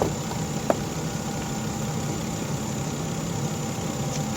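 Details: 2011 Volvo XC60 idling just after a light tune-up with new Bosch spark plugs and the coils refitted. A smooth, even low idle hum with no misses, knocks or stumbles; the engine runs cleanly and steadily.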